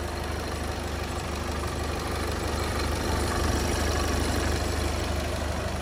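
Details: VW Passat Alltrack 2.0 TDI diesel, about 5 years old, at cold idle; steady, unhurried low diesel clatter with a faint belt whir judged normal, and the engine sounds healthy.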